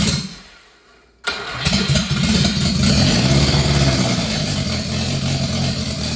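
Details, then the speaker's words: Subaru Sambar engine revived after sitting, timing slightly advanced: after a short crank it fires into a lumpy, stumbling, surging idle, running very rich as the carburetor floods the engine, with raw fuel visible leaking from the back of the carburetor. "holy crap that's allowed uh yeah that's definitely just raw fuel so oh yeah I can see fuel coming out the back of the carburetor yep that's no good we're gonna have to figure that out"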